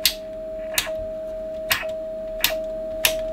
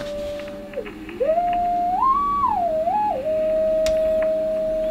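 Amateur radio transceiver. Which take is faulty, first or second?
first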